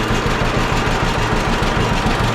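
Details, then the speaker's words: John Deere B two-cylinder tractor after magneto troubles, restarted after flooding and choking, spark plug suspected: slow, even pop-pop idle with no skips or misses; running clean, seems fixed. "oh listen to that thing pop along all right good deal I think we fixed her"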